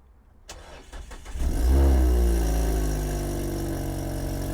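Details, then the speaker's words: Manual car at an auction yard, started with the clutch pressed: the starter turns briefly, then the engine catches with a loud blat and settles to a boomy, raspy idle. The exhaust is far too loud; exhaust pieces are suspected missing underneath. "I think we're missing some exhaust pieces I think something's missing under there"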